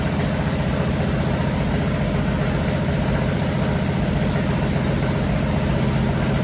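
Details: Newly built 500 stroker big-block Mopar on a run stand, first start break-in, timing advanced after a carburetor backfire: steady deep even V8 rumble with a quick regular pulse, no misses or knocks; normal running.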